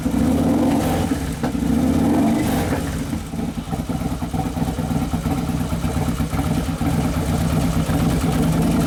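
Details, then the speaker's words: 2011 Harley-Davidson Road Glide FLT Twin Cam, freshly rebuilt engine on first heat cycle: V-twin revs then settles to an even, lumpy idle with no knocks or rattles, possibly slightly lean; healthy running after rebuild. "yeah it sounds like it's settling there's your first heat cycle"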